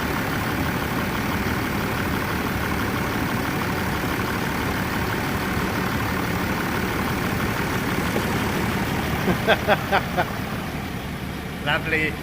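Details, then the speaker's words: Range Rover Sport diesel engine after repairs: new water pump to fix a coolant leak from the water pump seal, and new O-rings on the injector leak-off pipes to stop a diesel leak; steady even clatter at idle, no misses or knocks, normal idle. "the good news it runs like a watch we fixed the coolant leak it was the water pump seal"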